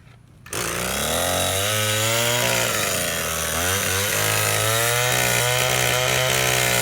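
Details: Old, worn Echo SRM-225 trimmer with replacement eBay carburetor, run without air filter, owner suspects low compression: sharp start, then steady high two-stroke buzz holding speed with small wobbles; running properly.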